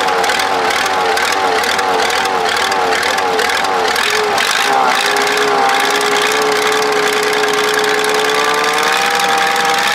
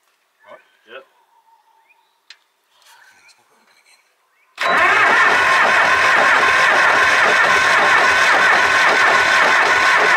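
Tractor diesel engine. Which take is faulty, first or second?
second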